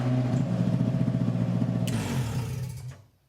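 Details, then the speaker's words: 2002 Ford Ranger chassis and engine under a 1985 Ranger body, first start after wiring harness swap, running without instrument cluster: even low idle pulsing about four beats a second, smooth and regular until shut off; healthy running engine. "there she sits and the thing still starts and runs without it some newer cars need the cluster to start and run but this one doesn't so that's awesome"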